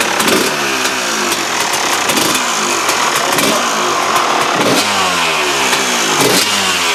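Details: KTM two-stroke after replacing the damaged reed valve: crisp note rising and falling cleanly with each throttle blip, no misfire or stutter; much better than before the repair, running healthy.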